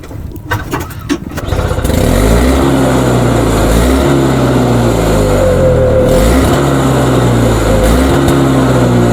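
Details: Toro single-stage two-stroke snowblower, surging for about five years, pull-started outdoors after primes, carb suspected: engine speed climbs and drops every second or two without holding steady; surging.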